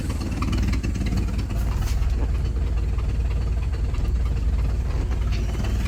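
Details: 1967 Ford 300 six-cylinder fitted with a lawnmower carburetor, fuel pressure regulator set to about half to one PSI: deep, steady low idle rumble with no misses, knocks or surges; running fine, though gas pours out of the carb.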